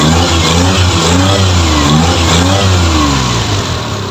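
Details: F6A engine, in a hard-starting fix: the note climbs and drops smoothly through quick blips with no misses or stumbles and settles back evenly; revs freely and healthily.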